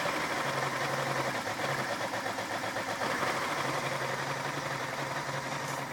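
Uneven idle with an irregular lumpy beat and a low hum that cuts in and out; rough running, cause not clear.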